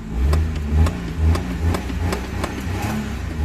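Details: Small engine of a Maruti 800, after a simple no-start problem was fixed, blipped in repeated short revs about twice a second, each rising and falling cleanly; it starts and revs normally.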